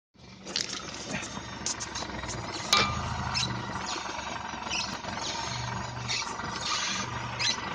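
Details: Lada Xray front suspension: intermittent high-pitched squeaks and creaks come and go with body movement over low rumbling; suspension squeak, source unknown.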